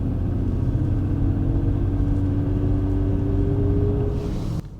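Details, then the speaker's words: 2008 Toyota RAV4 V6 driving: thin steady whine rising and falling in pitch over road rumble, 'airplane' transmission noise common to these; TSB transmission mount didn't fix it and transmissions were also replaced; considered just noise travel, not a fault. "now this one does have the uh what I describe as an airplane noise from the transmission something very common with them if you ever hear it's like a a wine it goes up and down many people fear that it's a transmission issue it's just noise travel"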